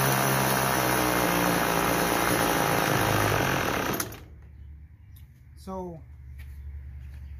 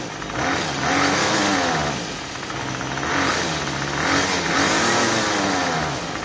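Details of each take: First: Troy-Bilt TB32EC two-stroke trimmer during carburetor idle-screw adjustment: buzzy idle holds about four seconds then dies; clockwise lowers rpm and stalls it, counterclockwise raises rpm. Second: Troy-Bilt TB32EC two-stroke trimmer after carburetor fine-tuning (was stalling on trigger, head spinning at idle); steady idle, revs up cleanly on each trigger pull and drops back without stalling: normal idle and throttle response.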